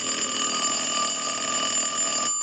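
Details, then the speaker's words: Western Electric glow phone after repair, ring cycle started from an analyzer with the rear ringer volume control wired into the circuit: a steady, bright bell ring with no stutter or dead spots. The ringer works properly. "now the volume control for the ring cycle which is at the back of the telephone is incorporated into the circuit so it does work and I'll go ahead and start the ring"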